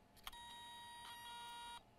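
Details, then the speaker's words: External Toshiba hard drive not detected by a laptop, powered over USB: it spins, then gives sharp clicks and beeps, pointing to a failing read head; a board swap from a donor drive comes next. "The drive is spinning. Oh. Wow. We hear a clicking"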